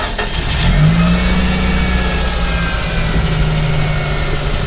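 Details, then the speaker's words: Mitsubishi Space Wagon with a customer-reported noise at the front of the engine: steady low engine hum, smooth even note, no squeal or rattle. Normal running, noise gone. "เงียบครับเปิดเรียบร้อยส่งงาน"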